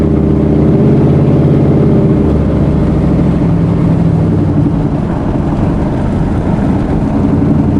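Engine running with an uneven, lumpy beat and irregular stumbles in the exhaust note, consistent with a cylinder misfiring.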